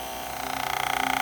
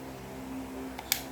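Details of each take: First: Hair clipper used over a year: loud, harsh motor buzz that pulses rapidly and rattles, worse when blade adjuster moves blades closer; blade chattering. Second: Hair clipper running after its blades were realigned and tightened: low, steady motor hum with even tones and no rattle or buzzing; the noise is much reduced and the clipper runs quietly.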